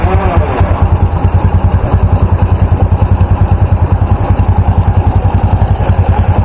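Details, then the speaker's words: Flood-soaked small motorcycle after new spark plug, carburetor drained of water and fuel cap opened: steady even idle, no longer stalling or misfiring on throttle. "Atting pansin po natin hindi na po siya namamatay. Hindi na po nagpapalya kumbaga matining na yung pinakaidling niy"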